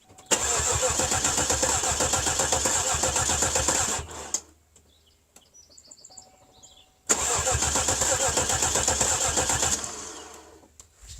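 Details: Cadillac 300 HP Northstar V8 with a freshly installed battery: two long bursts of steady cranking at about four turns a second that never fire. No-start traced to a blown PCM fuse.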